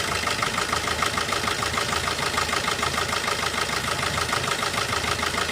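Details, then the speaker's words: Four-cylinder diesel car with one injector disabled through an OBD2 scanner app. The idle is choppy with a hard pulse about three times a second, uneven clatter and heavy engine shaking because that cylinder is dead. "यह दिखाई देता है, लेकिन अब engine में बहुत अधिक भूकंप के झटके शुरू हो जाते हैं।"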